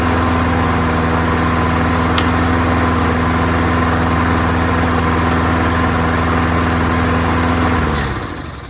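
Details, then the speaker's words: Free, old, rusty, worn-out Honda self-propelled lawnmower, started first pull on a small test fill of gas, with oil clean and full. Even single-cylinder beat holds steady about eight seconds, then winds down cleanly at shutoff. Healthy engine with no misfires; carburetor judged not to need cleaning. "as you can see, it starts up wonderfully, like most Hondas do, you know. First pull all the time."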